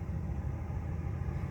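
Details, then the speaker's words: Truck V8 idling just after Edelbrock 1405 carburetor rebuild and reinstall, started right up; steady even low rumble with no misses, knocks or hunting, healthy idle. "All right, got the new carburetor on there. Let me go ahead and crank it. Crunk right up."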